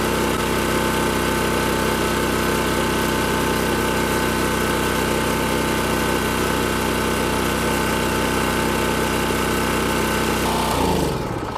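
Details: Champion 4000 watt generator curb find, carburetor previously rebuilt, on fresh non-ethanol fuel; steady even engine drone with no misses or knocks, then winds down smoothly as it runs out of fuel: normal running.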